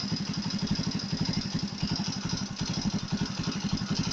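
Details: Chinese Alpha moped engine, quiet when cold, knocks once warm: fast regular tapping about four per second over idle; head heat enlarged camshaft bearing seats, fixed with copper foil strips (about 10 mm wide) under each bearing.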